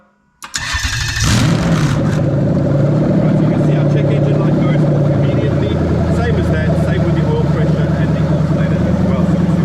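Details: Lexus LS430 3UZ-FE VVT-i V8 with new engine harness and mixed 5-speed ECU, started by 12 V to the start wire: starts almost instantly and settles into a firm even idle, no stumble or rattle; healthy.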